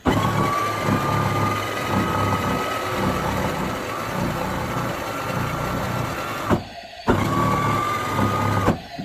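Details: Power Wheels Viper being converted from 16V to 24V, tested on a 12V battery with the car jacked up, pedal pressed: steady faint motor whine at one pitch, cutting off briefly and restarting evenly; drive motors run normally.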